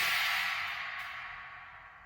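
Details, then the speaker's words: Sabian AA 19-inch Holy China cymbal with multiple bow fractures and cracks, before repair; bright trashy crash decaying with a faint buzzy rattle from the cracks. "So you can see, just testing it out there, finding out that it's already got a really trashy sound. This is the before of the repair job."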